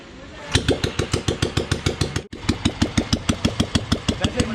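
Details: 1997 old-model Royal Enfield Bullet, CI engine freshly rebuilt, kick-started with oil circulating properly: big single fires and thumps evenly, roughly seven beats a second, no knocks or rattles; healthy normal idle.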